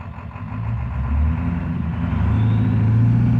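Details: Ford 7.3 PowerStroke diesel that also blows blue smoke when floored: a loud idle that lifts a little, with an uneven, lumpy, loping beat; misfiring at idle.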